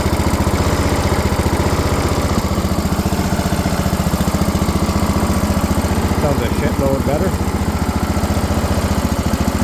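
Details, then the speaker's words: Briggs & Stratton 17.5 engine on a tow-behind mower with a five-foot deck, after a valve adjustment to 0.015 in: an even idle near 220 pulses per minute, much improved, but with faint popping as it still spits back through the carburetor. Owner suspects valve clearance is still off. "so as you can see it's running a hell of a lot better than it was or it sounds better it's still spitting out of the carburetor a little bit"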